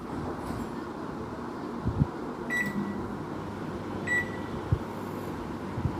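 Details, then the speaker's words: Microwave after repair of an abnormal noise, run in micro mode: a steady low hum from the fan and magnetron with soft clicks and beeps and no rattle or scraping. It runs normally. "देखिए दोस्तों fan on हो गया। Microwave हमारा on हो गया और इसमें किसी भी प्रकार का कोई साउंड नहीं आ रहा।"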